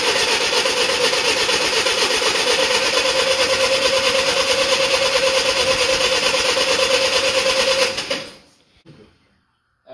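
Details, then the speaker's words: 1947 Hughes loader flathead engine, first start in 5 years; steady regular idle chuff about three beats a second, no misfires or knocks, then shut off; smoke from oil put on cylinders, possibly a stuck ring. "well we got it running good she's idling smoke is from the oil i put on top of the cylinders hopefully it goes away"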